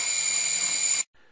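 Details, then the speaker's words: DIY hexacopter, APM board powered after ESC calibration: a steady high-pitched electronic tone for about a second, then silence; normal ESC calibration-complete beeps. "Next time you boot the uh APM, it's actually going to send the power straight to the motors. And you'll hear a couple beeps."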